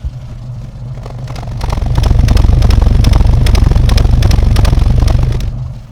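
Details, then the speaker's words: Austin A40 Farina classic car with ignition problem: exhaust note swells and sags constantly with a lumpy, uneven beat, not coughing; the engine is surging at idle, getting worse the longer it sits; distributor suspected, not confirmed. "see when we listened earlier it was purring now it's got that almost like a surge constantly going through it's not necessarily coughing on this one but it's like a surge"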